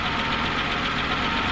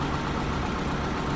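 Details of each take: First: BMW E30 with M20 inline-six, first start after sitting over five years, warming up: smooth idle with light regular puffing tick about twice a second; owner suspects a minor exhaust leak. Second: BMW E30, sitting 5+ years, just fired up after more cranking; intake boot still off, fluids and filters not yet checked. Short steady idle with even low rumble, no misfire or hunting; normal idle.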